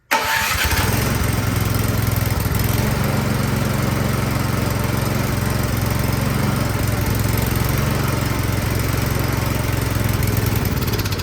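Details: Troy-Bilt Storm 2410 snowblower that would not start, owner suspecting a carburetor clogged by old gas; started with the electric start, choke on, unprimed. It catches right away and holds a steady, even idle chug with no sputter or stalling.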